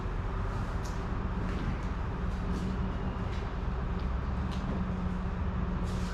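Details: Slammed ice cream truck started after sitting outdoors through Michigan winter, chilly day: deep steady rumble, even low drone, no misses or knocks; normal idle.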